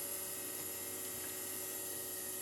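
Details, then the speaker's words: ARC-5 BC455 command receiver being restored, running on its dynamotor (3.3 A, 46 W, about 217 V HT): a steady high-pitched whine with a constant hum, no rubbing or knocking; the dynamotor runs fine, just noisy. "What I'm going to do is I'll change over to the power pack now, this unit that I built, because as you can hear, the Dynamotor makes a fair amount of noise."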